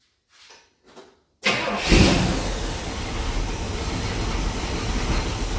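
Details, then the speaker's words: 1973 Pontiac Ventura, rebuilt 350 Pontiac V8, replacement carburetor after mixture richened: catches quickly after a couple of cranks and settles into a steady, even idle with no popping or spitting; normal idle. "I definitely fattened it up I can smell it now see how it's not popping now"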